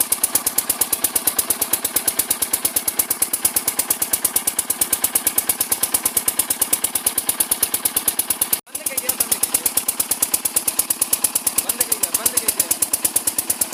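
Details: Kirloskar single-cylinder diesel engine running a water pump, smoking heavily and overloaded; heavy even thump about three beats a second with a rough scraping edge; pump impeller rubbing the casing drags the engine.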